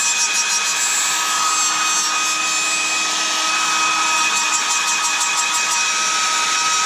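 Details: Hairdryer, suspected dry bearing or rubbing: steady airy rush with a thin high-pitched whine on top that persists after reassembly; high-pitched buzzing.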